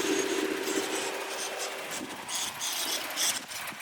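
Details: 2018 Ford F150 XLT 3.5L V6 EcoBoost, 60K miles, idling with thin steady whistle over airy hiss; runs fine otherwise; cause was a bad PCV valve.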